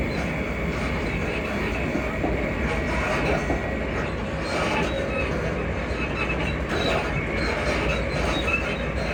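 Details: Class 334 unit 334031 moving on the Haymarket–Bathgate service: intermittent high squeaks come and go over the steady rail rumble. Suspension squeak suspected but not confirmed.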